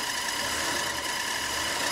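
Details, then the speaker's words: 1947 Dodge heater blower fan started with a newly fitted switch: a steady airy whir with a thin whine near 1 kHz from dry, worn fan bearings, a noise that usually fades; the bearings are due to be serviced. "And it has. Oops. That's that bearing again now. That'll go off hopefully in a minute."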